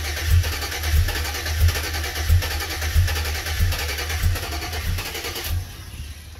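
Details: 2007 Chevy Avalanche 5.3L, ECM replaced, codes P0123, P0223, P0315, P0633, U0214: steady starter cranking with rhythmic compression pulses, never fires; owner suspects the anti-theft module or a cheap key.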